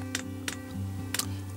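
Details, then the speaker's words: Kroak diesel parking heater for a camper, fuel lines initially empty: holding both arrow buttons starts the dosing pump; a few sharp ticks over a steady low hum as it primes diesel into the lines, working normally. "vous entendez la pompe vient se mettre vient de se mettre en route"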